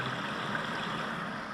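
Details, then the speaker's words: Shower tray 90mm waste after leak repair, reassembled with the plastic trap cup and chrome cover, shower running full: steady soft rush and trickle of water draining away, no gurgle or backing up, no leaks; draining normally. "Okay, shower is running full. You can hear it. It's the water going into the waste down"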